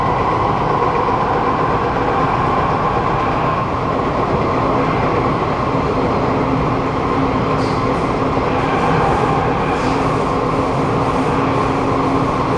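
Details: SMRT Kawasaki Nippon Sharyo C751B train 325/326, recorded in car 2326 A1/B1 while decelerating underground into Dhoby Ghaut: a very loud steady motor drone and vibration under braking, cause not identified.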